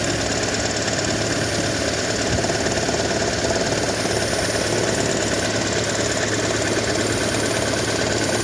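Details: 2012 Toyota Prius engine: heavy, steady rattle at idle, about three to four beats a second, coming and going intermittently. Cause unknown.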